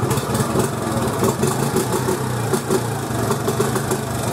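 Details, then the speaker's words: 1986 Honda TRX 70 air-cooled single after top-end rebuild, head bolts torqued to 9 ft-lb: crisp pickup on each throttle blip and clean drop back, no flat spots or bogging; normal throttle response. "so wicked uh throttle responsive guys look I mean no flat spots doesn't choke out on itself"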